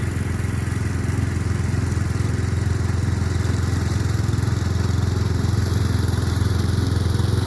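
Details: Murray Select 30-inch riding mower being fixed up, mowing on a slight incline with an unsharpened blade: steady low engine drone with an even chop holding pace, no misses; cut decently, runs normally under load.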